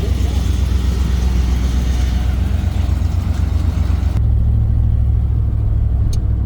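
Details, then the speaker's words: 1997 Ford on its first test drive in about five weeks, after new hoses, radiator, upper end gaskets, transmission fluid and filter: steady deep engine drone pulling smoothly through a gear change, no knocks or squeals; runs and shifts all right. "runs all right seems to shift all right"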